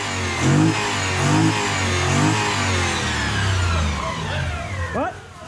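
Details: Delica L400 van with 1UZ-FE VVTi V8 swap, after removing the restrictive intake piece and airflow meter: several quick throttle blips, each rising and falling cleanly with crisp response; revs healthily.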